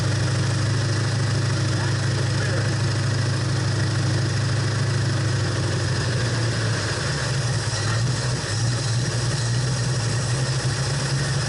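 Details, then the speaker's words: Ford Torino GT 390 FE V8 (1968/69), just after installing fabricated distributor plates, with dwell possibly off: deep idle that loafs unevenly, with a wandering beat and a faint miss. Rough idle; the cause is not confirmed. "you can hear one of the Val like there something wrong you know it's not"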